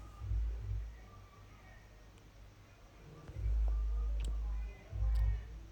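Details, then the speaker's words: Skoda Rapid cranking in short bursts of starter rumble but not firing; no fuel reaching the fuel pipe and no current at ignition, fuses OK, wiring being checked. "गाड़ी start नहीं हो रही अब हम आगे जाकर check करते हैं"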